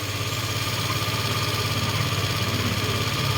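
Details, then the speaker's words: Small motorcycle (scooter) engine after cleaning, warmed about 15 minutes: idles evenly with a steady low thrum and no longer dips or stalls. It had suddenly started misfiring and stalling after new roller weights were fitted; the idle seems slightly high. "Medyo tumino naman siya h na siya bumababa yung Menor"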